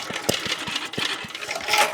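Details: 1980s Onan generator revived after sitting, fuel, choke and spark sorted: small single-cylinder catches with quick sharp pops about five a second and settles into a normal run right after starting.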